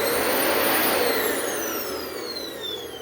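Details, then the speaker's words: Dyson vacuum after refurbishment, test start: a clean, high, steady motor whine that glides smoothly down in pitch as it spins down, no grinding or rattle; healthy motor. "Boy, she's all revved up and ready to go, isn't she there?"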